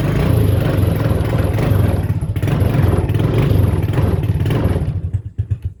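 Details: Used TrailMaster 300 XRS go-kart with cleaned carburetor, before adjustment: engine blats and surges with throttle blips, then stumbles and dies to sputters once the gas is released; won't hold idle until the carburetor is adjusted.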